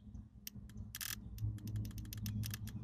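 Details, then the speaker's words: Fuel pump relay from a 1989 BMW E30 rallycross car with a 2.8 L M52 swapped in from a 1997 Z3, bench-tested with 12 V on the coil: sharp, crisp clicks on each switch, so the relay works. The no-start is blamed on the pump or the immobiliser. "relays are just electronically actuated switches if you put 12 volts across the magnetic coil it uses that magnetism to pull the switch over and it will allow connection between these two spades as you can hear"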